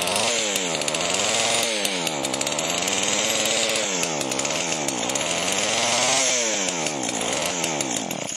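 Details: Chainsaw with spark confirmed, running on priming: two-stroke runs rough and high-pitched, speed surging about every second as if fuel-starved. Runs only when primed.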